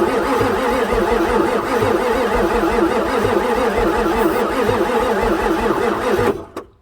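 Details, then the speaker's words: 1994 Ford F-450 7.3 diesel, pre-OBD2, after sitting for months, with the air intake off, cranked from a remote start button on ether. It cranks steadily for six seconds with no attempt to fire and almost no intake suction; being out of time is suspected but unconfirmed. "doesn't make any attempt to fire so it's like it's out of time and I got no way of confirming timing"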